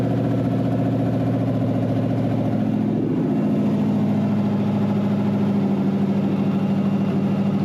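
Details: Wrecked 5.0 V8 Mustang non-runner on open headers, started after a missing engine ground was added: catches and settles into a steady, even idle with a smooth low drone and no stumble; engine sounds healthy; normal start and idle.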